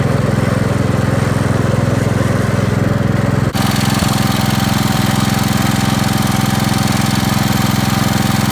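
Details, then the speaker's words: 1969 Gravely 432, Kohler K321 single-cylinder, first start after rebuild, sat about four years unused: steady idle at about 3.5 beats a second with an occasional soft putt. Slight miss; owner suspects the points need cleaning, unconfirmed. "all right so it's a success there's a little bit of a putt to it but I probably need to clean the points or something"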